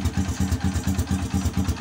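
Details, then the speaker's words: Honda XRM motorcycle idling with battery disconnected: low thumping idle about four beats a second with lumpy, uneven gaps; misfire with the battery removed, before replacing the rectifier regulator with a full-wave unit. "Ayan palyado siya kasi tanggal yung battery"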